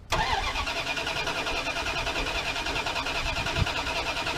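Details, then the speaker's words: 1979 Dodge D100 Adventurer V8 pickup: starter cranks steadily at a quick, even pace but the engine never catches; fuel not yet reaching the carburetor. "Don't worry, we got to get fuel coming up to the carburetor yet too. It'll do this a couple times. Then it'll go."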